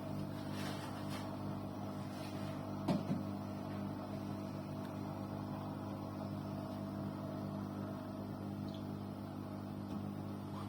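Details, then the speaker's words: Arçelik 6343 dishwasher switched off and not running: a steady low droning hum with one brief click. The hum stops when the door is opened and persists after cleaning. "Şu an eee makine kapalı olduğu halde ses geliyor. Çalışmıyor."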